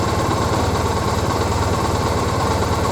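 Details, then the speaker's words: 2001 Triumph Bonneville twin, carbs just split to fix a fuel leak: idles with steady pulse but slightly loping, uneven beat; uneven idle, vacuum gauges show carbs well out of balance before synchronizing. "i've both started and you can probably hear it it's off and i look at the vacuum gauges and yeah well off"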